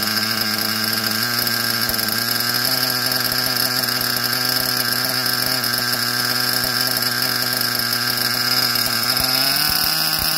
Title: SH .21 Nitro engine running rich